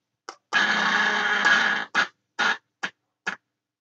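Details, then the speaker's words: Admiral AW5 valve mantle radio during restoration, after resoldering near the 6AQ5: intermittent bursts of harsh crackle and spitting; fault still on the board, suspected dirty valve sockets or dry joint, not confirmed. "No, we haven't fixed our problem there. So we've still got a problem in here. It's on the board."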